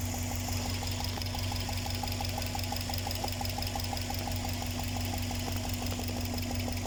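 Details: Subaru EJ207 flat-four at idle: steady low hum with a quick, regular light tapping on top; owner suspects improperly torqued or loosened spark plugs, not confirmed.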